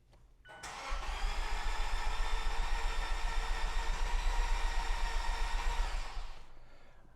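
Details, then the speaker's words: Fuel-injected Fiat cranked after long storage with clutch pressed and throttle floored to cut the injectors: fast, even cranking with no heavy compression beats, so low compression until oil pressure builds and compression returns. "As you probably heard, there's no compression in the engine."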